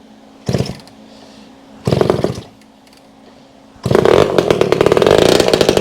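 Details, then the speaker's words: Vintage two-stroke, with fuel leaking out. Short rough bursts, then it catches and runs with a loud, raspy, crackling note; the exhaust earlier thought good is making it loud. "But let me show you the other reason why it's running kind of loud. So, you remember the exhaust I said that looked good?"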